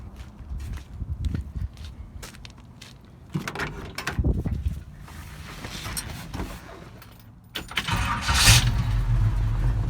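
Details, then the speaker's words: 1972 Chevy C10 with a non-original 350 small-block V8, headers, TH400, and a Rochester carburetor with electric choke at 6 psi fuel pressure. Cold start catches quickly and settles into a strong, even rumble without stumbling; clean, healthy start. "really easy and smooth [Music] that rochester is actually an electric [Music] [Music] choke [Music] good truck with that rochester it idles really"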